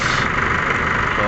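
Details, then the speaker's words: 2016 Chevrolet Trailblazer diesel idling after the fan blade was refitted and the rag-stuffed fan clutch and alternator pulley were dealt with: even idle, smooth fan whoosh, no rubbing or squeal; the noise is gone. "nawala na yung tunog. So yun lang naman, yung clutch pa na nilagyan ng basahan."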